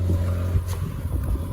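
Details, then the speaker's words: Ford Falcon FGX 4-litre Barra petrol six, salvaged and missing its front bumper, idling with a steady low hum and no knocks or ticks. Sounds okay, though there is a slight exhaust leak underneath, possibly from forklift damage. "There's no front bumper, but she does run."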